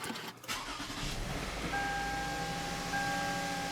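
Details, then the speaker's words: 2008 Toyota Avalon 3.5 L after repairing chewed-up misfire wiring and connectors: engine cranks, catches and settles into a smooth, even idle with no misfire stumble; check engine light went off by itself and the shaking is gone. "as you can hear the engine is running the engine sounds good our check engine light went off"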